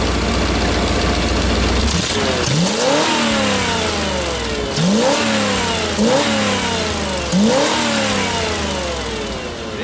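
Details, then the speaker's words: Ford Bronco V8 with newly installed Holley Sniper EFI, some wide-open-throttle timing removed, first drive on grass: at full throttle it surges then abruptly cuts and recovers about every 1.5 seconds; owners suspect hitting rev limiter. "just hitting R limiter [Music] maybe I bet you're hitting limiter I don't know"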